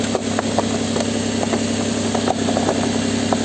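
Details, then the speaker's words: Nissan: steady, even idle hum with a firm low note and a few faint stray clicks; running smooth. "It's running smooth, no check engine light."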